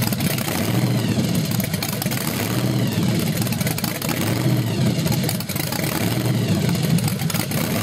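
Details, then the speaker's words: Small-block Chevy 383 stroker (Weiand 6-71 blower, 8% underdrive, twin Carter AFB carbs) at first startup: a deep, lumpy idle that rises and sags every few seconds. Lean is suspected; idle mixture screws are later richened, with rejetting planned. "what is it starving is that why that's doing that I think it's lean it's like it's really thirsty when he catches it"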